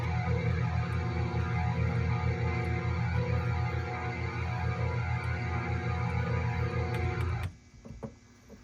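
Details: Korg Trident synthesizer first power-up after power supply filter caps and cut AC wiring repaired: steady gently pulsing strings drone with no keys pressed, brass and synth sections silent; keying fault, possibly power-supply related, regulators running hot.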